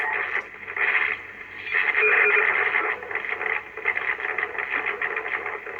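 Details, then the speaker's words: Belcom LS-102L 10m radio mid-repair on 28.490 MHz: hissy, crackling receiver audio that swells, sags and cuts out. Blamed on the VCO cutting out; a fault is suspected in the cabling loom or the small VFO section. "geez that's really nasty isn't it that's not it's just cut out again see and that's it that vco again that's cutting out"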